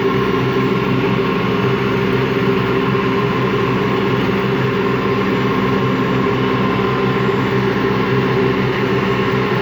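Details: Washing machine run empty on rinse and spin: loud drone with coarse gritty growl through the whole spin; drum not loose, owner suspects worn motor or drum bearings, spin not reaching full speed at the end.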